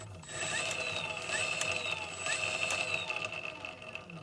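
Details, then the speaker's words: Effbike fat bike hub motor clamped in vise, running free on bench, giving no drive when installed: steady high whine with light irregular ticks, sounds normal unloaded but stalls easily by hand; bad clutch bearing diagnosed. "Kind of sounds fine, doesn't it?"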